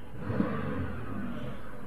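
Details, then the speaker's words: Copart car, believed to be a direct-injection 3.6 V6, parked and revved: a smooth, even rev with no knocks, ticks or rattles. There is no check engine light, a slight power steering whine, and the AC works. The engine sounds healthy. "all right it is running good there's no check engine light so that's a good thing"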